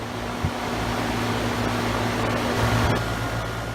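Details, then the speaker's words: Two-year-old Carrier heat pump outdoor unit running in heat mode in midwinter at about 38°F outside, after running a while. A steady airy fan rush over a low constant hum with cold air blowing out the top; normal running. "Here's the unit running from another perspective here after it's been on for a while. Seems to heat the house up pretty good. Got a blast of Arctic air coming out the top of it here."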